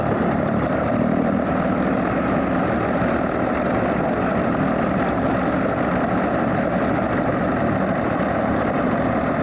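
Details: Alvis Leonides Mk 25 radial engine in a Percival P.56 Provost trainer, just started after priming and with all plugs sparking: even, rough-edged low rumble at steady loudness with no stumbles or bangs, a healthy normal idle.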